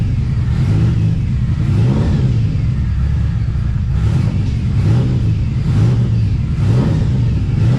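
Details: TVR Cerbera with rough running and random misfire: deep drone surging and sagging about once a second instead of pulling cleanly; owner considers disconnecting one of the two throttle position sensors.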